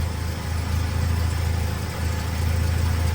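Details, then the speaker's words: BMW E30 Touring with an M44B19 swap, restarted right after sealing the gasketless exhaust joint with Bardahl exhaust paste: low, smooth, even idle with no puffing or ticking; the exhaust no longer leaks. "Allez, on teste. Ça ne fuit plus."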